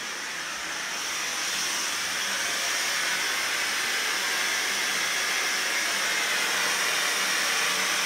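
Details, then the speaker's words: Kohler K9 steam generator that had thrown error 5, during repair, with water boiling and only one leak at a loosely fitted joint. A steady, even hiss that builds slightly and then holds, with no sputter or knocking. It is making steam normally. "and the only leak is up where i just loosely put it rightfully so and i think we got steam"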